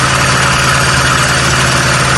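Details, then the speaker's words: Hyundai car with misfire persisting after a spark plug change: rough, lumpy, shaking idle; unplugging coils shows cylinders 1 and 4 not firing while 2 and 3 respond, ignition coils suspected; engine misfire at idle. "Can you see exactly how it runs? Now You can tell there's a misfire."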